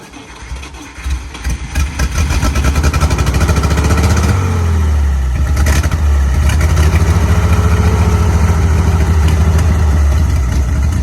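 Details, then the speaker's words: Carbureted 1955 Dodge M152 command truck, unused 15 years, restarted after waiting 10-15 minutes for the flooded carburetor to clear. Cranks, catches after a couple of seconds, settles into a steady, even idle. Normal running after start. "i've asked the engine is running for now"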